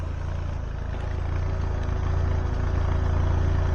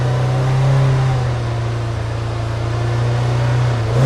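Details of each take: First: Citroen BX 16V, warmed up after fixing over-fueling: smooth, even low idle with a steady beat and no misses or knocks, running like a sewing machine; clean running. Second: Citroen BX 16V started stone cold at wide open throttle: lumpy, stumbling idle that splutters with blips and heavy smoke; misfiring from fuel flooding, later traced to a leaking fuel pressure regulator.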